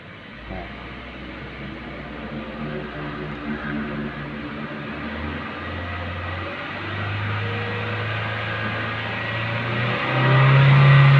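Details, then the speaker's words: Honda Mobilio stationary, idle below 1900 rpm, revved to 4000 rpm: engine note climbs then cuts up and down instead of rising, the factory-set stationary rev limit, normal. "Nah, ini teman-teman nih, mobil Honda Mobilio ini kalau keadaan berhenti digas 4000 RPM itu RPM-nya putus-putus nih."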